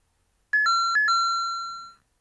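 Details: YUVO Chibi Pocket W machine error alert: a clean electronic ding-dong chime, high then low, played twice with the last note ringing, followed by a voice saying to call the shop staff.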